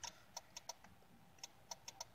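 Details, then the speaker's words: 2010 Hyundai Santa Fe 2.4: the turn signal switch sticks partly engaged at rest and makes faint contact, so the relay clicks unevenly on its own, three or four times a second, without working the flashers. Nudging the switch up stops it. "what's going on is basically the switches making a like a faint contact I guess and that's what's causing that relay to wanna go off but it's not actually causing the relay to activate the flashers"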